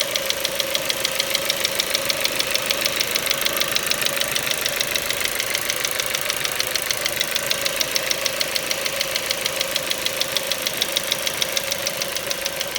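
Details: Ford Mondeo 4 2.0 Duratec HE, 89,000 km, LPG fitted at 70,000 km, quiet idle: sharp even metallic ticking about 200/min; not valves or swirl flaps, owner suspects petrol injectors; knock vanished revving to 7000 rpm stationary.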